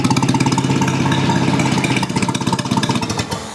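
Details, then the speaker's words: Old Rusty four-cylinder after the firing order was corrected to 1-3-4-2 and the ignition advance adjusted, choke off: even, steady firing at a calm idle with no misses, pops or knocks. It runs smoothly, a much better sound. "Now this seems to run quite smoothly now. A much better sound."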